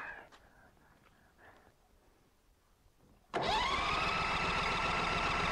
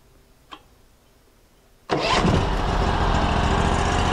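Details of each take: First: Norwood LumberMax HD38 sawmill engine after assembly, on choke: starter spins evenly for about three seconds without firing because the emergency stop was pushed in; started with smooth idle once released. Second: Engine on a new Norwood LumberMax HD38 sawmill, started after choking: a clean start settling into a smooth, steady idle with no misses; the centrifugal clutch isn't engaged, so the blade doesn't spin.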